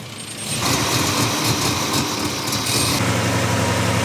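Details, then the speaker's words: Dually Indy 500 pace truck with TBI fuel injection, after refitting a loose coil wire: engine hangs at about 1500 rpm idle and stumbles, breaking up unevenly; owner suspected advanced timing or idle air control valve. "Looks like we're way advanced on timing. That's got to be the idle air control valve. Just idling at 1500. Still breaks up."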